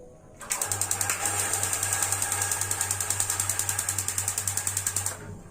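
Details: Gas water heater after unsticking a dirty, long-unused membrane, test with water flowing: crisp even igniter clicks about 3.5 per second over low hum, then burner lights; ignition normal.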